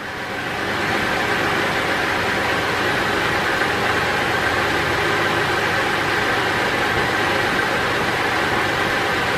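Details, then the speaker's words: 2005 Holden VZ Crewman, 3.6L Alloytec V6, at idle: it starts shaking and runs rough with a clicking, ticking stumble and no engine codes; misfire believed traced to a faulty ignition coil pack, to be replaced. "So it seems to be running okay at the moment, but as you can see now it's starting to shake and you can sort of hear it clicking away there. You can see it's running a bit rough, so we'll definitely get that fixed hopefully."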